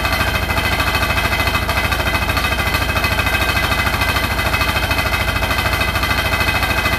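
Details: Hotpoint NSWR843C washing machine on final 1200rpm spin: a hard, even rattle of about three knocks a second, steady throughout; the cause of the loud rattle is unknown.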